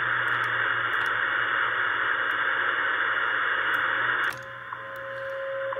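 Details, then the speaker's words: Ten-Tec Pegasus HF transceiver tuned to 10 MHz: static hiss, then it drops quiet and a clean carrier tone comes through; receiver works well despite a transmit fault giving very low output. "it does receive though so it receives very well here's the receive aspect of it if i put in 10 megahertz it'll pick that up"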